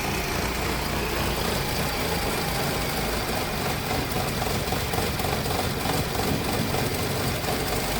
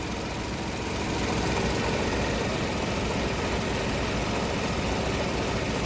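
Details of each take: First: 2015 Ford Ka 1.0 three-cylinder, towed in cranking but not running, started only by reconnecting injectors while cranking: lumpy, uneven idle under light throttle, visible rich-mixture smoke and strong smell. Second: 2015 Ford Ka 1.0 three-cylinder, towed in cranking but not starting, after replacing the sooted upstream oxygen sensor (B1 S1) and harness diagnosis: steady, even idle with constant low rumble, no misses or surging; engine running noticeably better per scanner.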